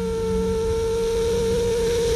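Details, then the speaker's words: Harley-Davidson Milwaukee 8 piston oil jet on an air test stand: a steady pure hiss of air escaping through the jet at only 6 psi, so it opens far below rated pressure; defective jet linked to sumping and engine failure. "now let's see if let's listen closely and see when we start hearing airflow [Music] we're only at six psi now let's continue [Music]"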